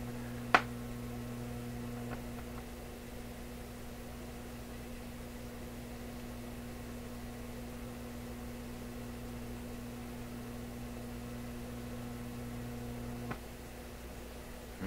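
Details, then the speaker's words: Florida AM/FM/SW tube radio after replacing open resistor in audio preamp tube plate circuit, warming up: steady low distinct mains hum with faint hiss and pops; source not traced. "Oh, very, very distinct hum. Phooey."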